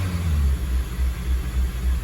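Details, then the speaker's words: 2002 Acura RSX Type S, K20 engine, at running temperature after warm-up: low note swells and sags about twice a second at idle, pulsating hunting idle; idle surge from stuck-open idle air control valve. "But you see the pulsating now, right? Pulsating with an attitude there."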